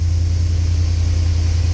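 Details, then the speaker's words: 1989 Chevy Silverado no-start fixed by replacing the coolant temperature sensor: it starts right up with no pedal and settles into a steady, even idle rumble with no misses or surging, despite a slightly weak battery. "woo that started right up like right"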